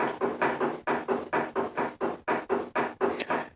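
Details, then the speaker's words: Restored Powermatic 90 wood lathe, believed circa 1959–60, running, tailstock not anchored and its lock threaded rod worn: quick, steady knocking about three to four per second as the loose tailstock rocks on the bed. "just the tailstock wobbling on the base I don't have it anchored"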